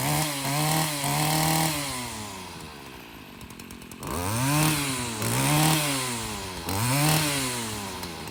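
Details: Stihl FS40C trimmer running after a new spark plug fixed its no-start: crisp two-stroke buzz revs up cleanly, holds, and drops smoothly back to idle several times; normal running.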